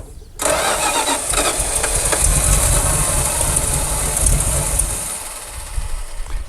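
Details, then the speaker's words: 1976 Dodge Power Wagon W100 parked 16 years: cranks, fires and runs a few seconds on fuel poured in, then sags and dies; no fuel supply to the engine. "all right so there it goes we just need feel to it yeah so boy I'd really like to hear it run just a little bit longer than that"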